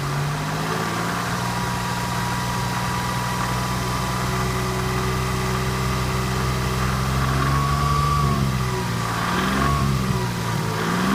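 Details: 1991 Toyota Camry engine revving under load with a dull knock; stethoscope finds more noise at the bottom end than the top of cylinder #2; rod or bearing knock suspected, oil pan removal pending.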